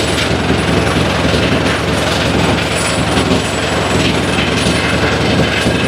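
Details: 2006 Harley-Davidson Dyna Wide Glide fuel-injected V-twin on lift, fresh plugs: ragged uneven idle, beat stumbling as one cylinder drops in and out; very rough running, threw a code; intermittent misfire, cause not yet found.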